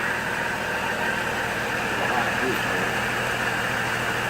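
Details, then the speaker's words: 2004 GMC Envoy 4.2L (~255,000 miles), first startup after oil pickup and harmonic balancer repair; slightly noisy top end, owner suspects from dry parts, but the earlier ticking is gone and the exhaust sounds smooth. Normal idle. "You know, I don't hear the tick, tick, tick, tick, tick noise that it had kind of on the top end."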